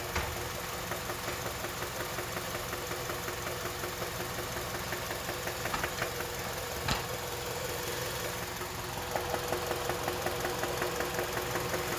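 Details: KIA Magentis 2.0, G4KA engine: steady idle with light, fairly even internal tapping about two to three per second; engine knock said to need immediate repair and no further driving; exact cause not confirmed.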